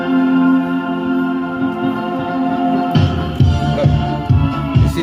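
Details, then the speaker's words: Emerald USA Pro MG-1001 amplifier after repair (earlier the meter showed strong signal but volume was very low): organ music plays loud and clean, full and undistorted with no hum or crackle; amplifier output back to normal. "moving and we got loud volume perfect everything is back to normal"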